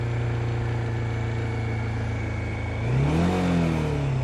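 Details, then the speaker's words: First-generation Bajaj Dominar 400 despite ECU updates, revved to about 4000 rpm: steady single-cylinder drone, then a rev, with a rattle from the tank area riding on the vibration; owner blames how the tank is put together. "You can hear this part rattle like anything. So the vibrations have been a very big concern for me right from the day I started riding this bike."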